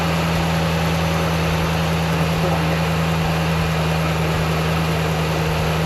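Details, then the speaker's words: Ram truck engine on its first start after the work: steady, even low rumble with no knocks, misses or ticks; a fault code is present, possibly from an unplugged connector; normal idle. "All right. Well, runs. Sounds good."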